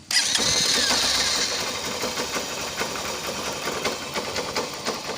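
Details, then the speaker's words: Honda Unicorn 150 motorcycle idling in neutral: loose metallic rattle over the engine beat; clutch bell (basket) noise, worn clutch basket dampers. "यहां पर clutch press कर रहा हूं तो यह आवाज हो जाति है गाड़ी की तो मैं आपको थोड़ा सा बड़ा के दिखा देता हूं"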